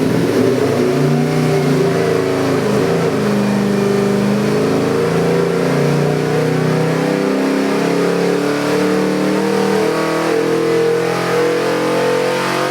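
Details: Proformance Unlimited Ford 347 stroker V8, 425 hp (438 hp on dyno), Holley 750 carb with electric choke, MSD distributor, bound for a 1967 Mustang: a full-throttle dyno pull to 5,800 rpm, a strong even roar climbing in pitch with no misses or knocks, healthy.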